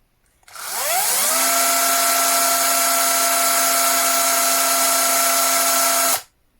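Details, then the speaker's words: Older, worn cordless drill running with no load at about 40 cm: it spins up fast and holds a steady high whine with a hard gear edge, louder than the newer drill. It still works fine; the extra noise is put down to wear and a more complex gear mechanism. "So this is a louder tool, but it's an old beat up tool, still working perfectly, mind you, but it's a bit louder."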